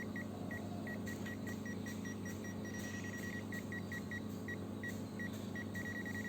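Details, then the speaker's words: Zoyi ZT102A multimeter NCV tracer with the yellow button held on a plugged-in, unbroken radio cable: short high beeps about twice a second over faint room hum; the tracer finds live current, so the cable is intact. "Nah, kalau bunyi titik-titik seperti kabelnya tidak putus."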